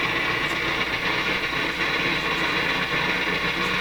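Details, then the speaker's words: Nordmende Norma Luxus tube radio with weak EL95 (6AQ5) output tube and low volume: loud steady hiss with sharp crackles and pops, still noisy with volume down so noise originates after the volume control; poor connection suspected. "it's still a noisy when i turn the volume down so the noise is coming after the volume control"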